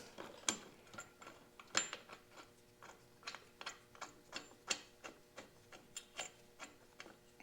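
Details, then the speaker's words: 1927 John Deere D tractor (S/N 44891) during restoration, gears hand-turned after installing the refurbished clutch pulley and fork: light, even clicks about two per second with no grinding or binding, and the clutch foot sits square on the pulley. "sounds like sounds like everything's moving the way it should the clutch foot is Square on the pulley like it should be"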